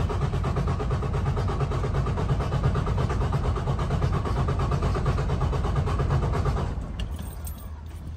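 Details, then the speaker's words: Detroit DD15 diesel cranking in neutral during a computer-run compression test: steady, even beat of nearly three pulses a second with no weak strokes, then it stops. Compression was good; loose exhaust-side valve-train bolts were later found behind the customer's noise. "so we have the results from our test and we have decent compression so the issue that we have that the customer is talking about is probably not going to be on the valve train it's going to be somewhere else"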